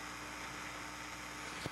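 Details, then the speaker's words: 1965 Admiral AM/FM stereo tuner-amp, already recapped, whose right channel loses gain over hours: low constant hiss with steady hum underneath; a noisy transistor stage before the driver, quieted by shunting collector to ground. "so it's like both of those are noisy and we got a problem back here but there's no noise at all on this side it's weird"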